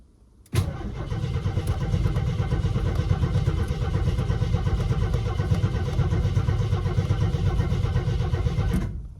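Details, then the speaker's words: AMC Concord parked 26 years since 1997 over carburetor issues, first start attempt: steady even cranking about three turns a second for eight seconds with no firing; crank, no start until starting fluid used. "I'm gonna crank her over for a second, then I'll start giving her some gas."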